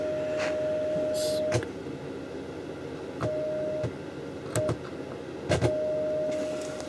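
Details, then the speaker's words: Marantz PM350 amplifier, signal generator tone injected straight into the power amp stage, right channel: steady clean mid-pitch tone near 600 Hz without rasp or buzz; power stage works, fault lies in preamp/tone-control section. "some signal straight into the power amplifier stage and if I do that for my signal generator here that undistorted sound and that's the right hand channel there on this ribbon cable"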